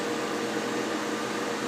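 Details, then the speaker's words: Soleil space heater, dropped, with a broken fan blade, after repair with heat on: a smooth, constant airy whoosh with a faint steady tone and no ticking. The fan runs normally and no longer wobbles the heater across the table. "can hear the fan it's not wobbling off the table so that's good"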